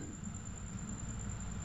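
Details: Sharp single-door fridge with a newly replaced compressor, just started after charging refrigerant to 60 psi; drawing 0.4 A with pressure falling. Even low hum with a faint steady high whistle, no knocking or rattle; running smoothly.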